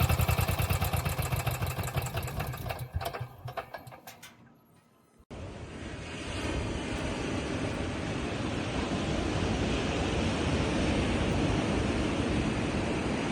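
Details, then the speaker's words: Onan 4000 KY generator after a new plug, oil, fuel filter and fuel pump, cleaned carb, choke coil adjusted, and the altitude screw turned counterclockwise to richen the mixture. A few sputtering firings and a brief stop, then it settles into a steady, even drone with no surging. "Using pliers, turn the screw counterclockwise slowly until the generator smooths out. Final result."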